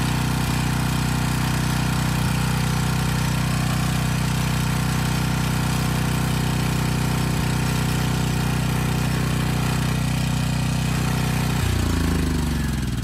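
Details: Briggs & Stratton Storm Responder generator with a swapped 10 HP Briggs engine under a 3000 W space-heater load: steady drone, about 58 Hz, sagging briefly under strain. A rattle comes from the loose starter assembly, not the engine.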